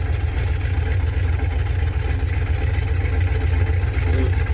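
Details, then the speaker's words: Big-block V8 idling in neutral after a cold start, before planned changes: deep, even burble with steady low lope and no ticks or knocks; healthy normal idle. "listen to the good sounding big block."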